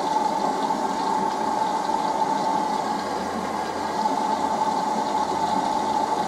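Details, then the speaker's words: LG F1029SDR washer with inverter direct-drive (beltless) motor jamming: it turns slightly one way and strains with a steady, unpleasant high buzz and hiss; it gives LE, UE, CE errors, meaning motor jam or a failed sensor. "Видите как клинит мотор ! Такой неприятный звук ! Вот а он должен крутиться а его блокирует ..... И он в одну сторону чуть прокрутится и шумит !"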